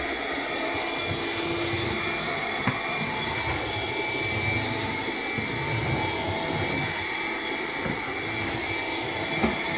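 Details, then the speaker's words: Bissell PowerGlide cordless vacuum on low power with the brush roll off, on hard floor: steady motor drone with a raised, higher-pitched whistle, airflow blocked by a clog that low power couldn't pull through. "it keeps making like a higher pitch kind of sounding like it's clogged but I haven't vacuumed up anything that would clog it"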